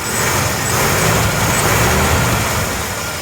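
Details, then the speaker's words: 1987 Dodge Dakota with carbureted 3.9L V6, first start and revs after winter storage: climbs and settles smoothly with an even roar, no knocks or rattles. The engine usually has a light tapping after cold start. Normal idle and rev. "I'm not hearing anything unusual noises. There's always been like a little light tapping with this engine, I think usually after the first cold start."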